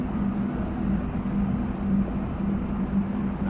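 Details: Panasonic air conditioner compressor that had been very loud and wouldn't start, now running after adding refrigerant at 3.7 A of a rated 5 A: steady low hum with no knocking or rattling. It is running normally.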